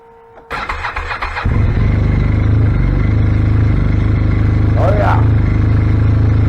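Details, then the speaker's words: 2016 Arctic Cat ZR5000 snowmobile after Team Industries Rapid Response drive clutch rattle repair: brief crank, even steady two-stroke idle with no rattle or knock; repair successful. "I don't hear the engine knocking anymore I think that's a winner"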